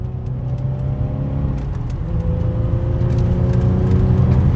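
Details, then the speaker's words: Infiniti G35 pulling away after installing a welded rear differential and new axles with spacers: engine note climbs smoothly, no whine, clunk or rhythmic wobble from the rear; new diff sounds healthy. "No wobble? Oh, dude! Wow. Thank God."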